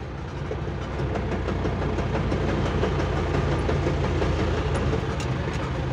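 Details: Chevrolet D20 gearbox: fourth gear lost one tooth, tooth was built up by filling and held under a year; fifth also broken, so third is over-revved. Rough rhythmic clicking, nearly three a second, under driving drone; damaged gear tooth.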